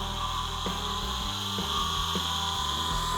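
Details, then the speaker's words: Free electric motor for a 1960s dune buggy conversion, previously seized, run on 6 volts: steady high siren-like whine with harsh grinding and shifting low growls; the motor operates but is badly worn. "This motor sounds more like a siren or something. It's really grinding, it's whining. Electric motors are typically silent, and this one sounds like something terrible."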